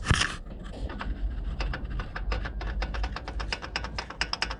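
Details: Citroën C5 HDi turbo spun by hand gives a dry scraping rattle with quickening ticks as it coasts; worn shaft bearings let the wheel rub its housing, with oil throughout the exhaust side.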